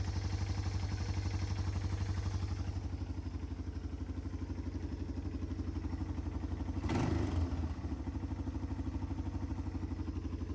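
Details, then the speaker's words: 1995 Yamaha Timberwolf 250 ATV, single-cylinder, after carburetor clean-up (previously zero power), fuel on, idling well without carb leaks; a quick blip climbs freely and settles back, revving out fully with no load. "it does seem to be revving out fully."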